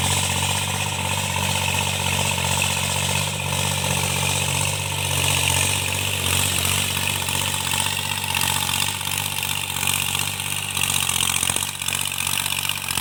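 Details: Tractor diesel cultivating under field load after an engine knock was repaired: steady note under a loud hiss of work noise, no knocking comes through; runs healthy.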